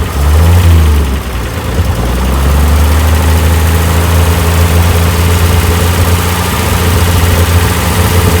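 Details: 1965 Chevy van six-cylinder, sitting about 50 years, first run after oil and fuel additives poured in: deep, steady low idle with a slightly loping beat, a little smoke, no knocks or squeals; holding idle fine.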